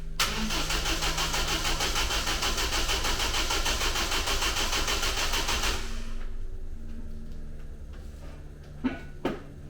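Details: Rebuilt engine in the Ninety with a new battery cranks steadily at about three beats a second for six seconds and never catches; distributor was too far advanced, and the timing chain was later found fitted with crank and cam marks misaligned, so there is no start.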